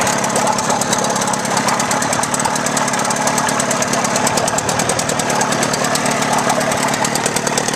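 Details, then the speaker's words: Outboard motor test run after water pump replacement and shift shaft alignment check: steady, even rattle at constant speed with no misses or surges, pumping water through well; normal running. "So as you can see, we're pumping great, pushing water all the way through it. This motor is ready to run for another 35 years."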